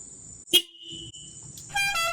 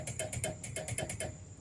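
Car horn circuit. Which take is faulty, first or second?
second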